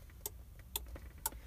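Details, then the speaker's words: 1997 Jeep Grand Cherokee, key unlock: horn silent but alarm module behind dash clicks about twice a second, alarm activated and engine shuts down on start attempt; fob unlock allows starting, alarm triggers intermittently. "you can hear clicking in the dash there's a module in behind the dash there and that's indicating that the alarm is activated"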